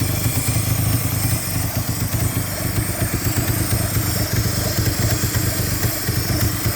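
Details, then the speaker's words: 4G63 petrol engine at operating temperature, idling low and slightly uneven with a faint airy hiss, idle wanting to drop. Unlocated vacuum leak despite a new intake manifold gasket, head gasket and valves. "Alright, it's at operating temperature now. It's finally idling. But there's a huge vacuum leak somewhere."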